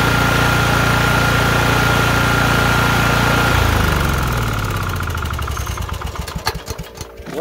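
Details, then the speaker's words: LT1040 riding mower, formerly blowing white/grey smoke from the front, after resealing the valve cover gasket with the original gasket plus silicone: even single-cylinder idle, steady beat, then clean shutdown; running fine. "we fixed the problem with the original gasket and some silicone"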